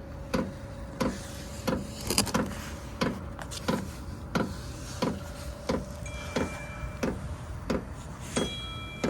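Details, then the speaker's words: HCalory compact toolbox diesel heater, first-ever startup powered from a Bluetti AC180, still blowing cold air: sharp regular fuel dosing pump ticks about 1.5 per second over a soft fan hum, normal startup pumping. "Yep, it's blowing air, but it's still cold. But yeah, you can hear that pump. Tick, tick. But I guess you get used to that sound."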